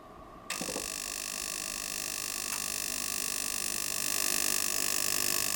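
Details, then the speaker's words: Inverter 5006 paraffin heater pre-start cycle: click, then steady fan hiss and hum slowly building with no rattle or scrape before the igniter lights the flame; normal. "anybody's familiar with the Everspacker type heaters, the diesel heaters, they have to go through a pre-startup cycle, and this is much the same as those. You'll hear when it starts."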